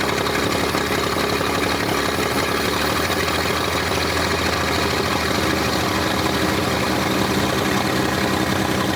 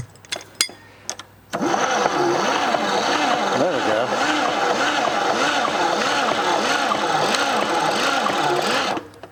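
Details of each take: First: 1947 International Harvester KB3 fuel truck, previously locked up and unrun about 30 years, after engine rebuild with rusted parts replaced: old six settles into steady, even idle with dense rumble, no knocking or stumbling; healthy idle. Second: 1947 International KB3 fuel truck engine, seized for over 30 years, first crank after valve and engine work: slow, labouring crank at about 3.5 turns per second, doesn't catch; starter not getting enough current, shorter cables suspected fix.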